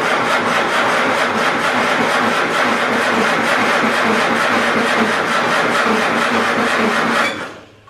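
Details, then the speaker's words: Farmall Super A tractor after ground and wiring repairs restored spark: starter chugs about three strokes a second without firing; slow cranking, no start, owner suspects weak battery needing charge. "all right I tried it a couple times but I think my battery needs a set and charge a little bit"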